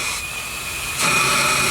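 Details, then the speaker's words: Bates Corliss steam engine under a boiler air-pressure test: steady high hiss that jumps louder, with no mechanical rhythm. Air leak found where a pipe had been unthreaded and slid up out of its fitting. "so now we know where our Lake was at anyway okay folks we figured this out for sure it's actually unthreaded somebody had unthreaded it and it slid up"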